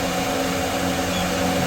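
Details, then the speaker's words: Old rusty, dusty exhaust fan found after sitting about 20 years, restarted: smooth, even whoosh with steady motor hum, no ticking or rubbing after brief initial screaming; running strong and healthy. "Still very powerful. It was screaming a little bit, but now it's uh very This is insanely strong for a little fan."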